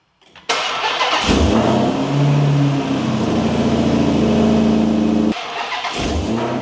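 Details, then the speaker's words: Hellcat Magnum with supercharger, no hood, on a start: cranks, catches and blips throttle with strong sucking intake rush and faint blower whine over V8 rumble; supercharger sounds healthy. "I can hear that thing sucking. Damn. Oh yeah, that's what I'm talking about. You can actually hear it. Oh, that supercharger noise."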